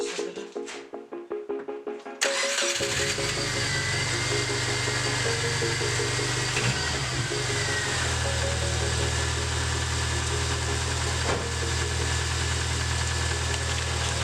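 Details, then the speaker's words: 2004 Subaru Impreza TS 2.5L after valve cover gasket replacement, earlier no-start from loose battery connection; brief cranking, clean catch, steady even idle, no misses, knocks or oil leaks; normal start and idle. "Whoa! She sounds healthy! Make sure there's no oil leaking."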